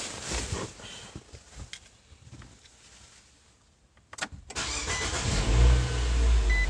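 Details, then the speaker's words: Dodge Durango after installing a used OEM salvage-yard starter for a suspected failing starter: short crank that catches and settles into a steady even idle; new starter works. "Alright, try it again. Alright, so new starter works for now."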